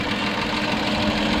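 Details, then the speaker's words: 1995 Ford EF Falcon petrol engine idling with a light, quick ticking over a steady hum from a noisy hydraulic lifter. A belt squeal, probably from a failing idler, is also present; the lifters can't be heard when driving. "you probably hear that she had a bit of lifter tick so we're going to address that today"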